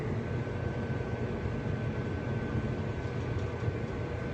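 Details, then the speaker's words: Whirlpool WMH31017HS08 microwave, a couple of months old, running empty with the plate correctly seated. A low, uneven rumble sits under the steady fan hum; the rumbling sounds like a misplaced plate but isn't, and the cause is unknown. "It sounds like the plate is misplaced, but it's not. And it worries me that there must be an issue with the microwave and we might have something going on in there."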